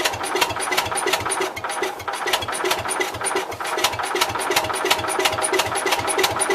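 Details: Cub Cadet 122 with weak, intermittent spark from worn points, primed: regular cranking chuffs about three per second with sharp ticks, turning over but never catching and running; may need carb cleaner.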